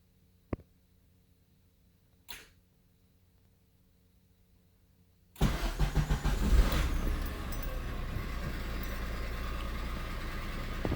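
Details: 2000 Honda Insight, testing the manual starter: two isolated clicks, then the engine catches and settles to a steady idle. An intermittent starter fault or bad ground is suspected, not confirmed.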